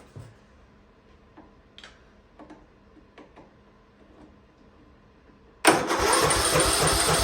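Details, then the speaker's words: First start of a free Ariens riding mower that sat at least 2 years: a few quiet clicks, then the engine fires abruptly and settles into a steady, even run, surprising the owner; a healthy start after sitting. "whoa it runs oh man ah i wasn't expecting that oh man oh man that is that's something else"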